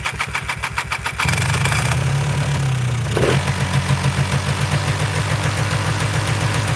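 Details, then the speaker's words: Two-stroke Polaris 400L ATV with rebuilt top end, just swapped from an aftermarket carburetor back to the original; starts after a few cranking pulses and settles into a fast, even idle too high to shift into gear, almost racing. Owner suspects throttle or idle adjustment. "Yeah. So, it's idling pretty high. There's no way I can shift it into gear."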